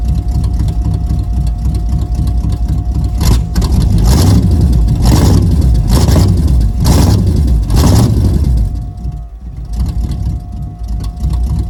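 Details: Freshly 305-swapped built Camaro V8 with headers, first start after new distributor install (a sheet-metal screw in the oil pan had blocked it): deep, even burble at idle with several clean throttle blips rising and falling smoothly; sounds healthy.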